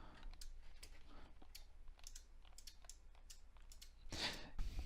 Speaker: so you see this one is sending and it's flashing so it's sending a command to this transistor and this transistor is driving these really I think you may hear the really clicking right now